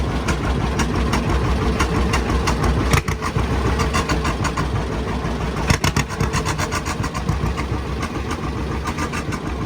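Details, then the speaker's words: 1955 John Deere Model 60 two-cylinder, fresh oil and new plugs, fed from a temporary boat gas can: loose, uneven putt-putt through an open pipe at about three and a half beats a second, settling to idle and purring fine. "it'll sit there and purr."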